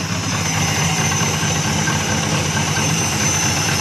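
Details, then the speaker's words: 1974 Dodge Monaco V8, barn find parked since 1990 (about 98,000 miles), first start after sitting: steady loud idle with raw open hiss and rasp, exhaust blowing out everywhere; exhaust leak, owner suspects mouse nests packed in the exhaust. "this thing actually sounds pretty good other than the lack of exhaust it looks like we are blowing stuff absolutely everywhere probably just slap full of mouse nest and probably where that moisture came from"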